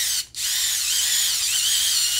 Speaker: it almost sounds about the same but it does feel a little bit stronger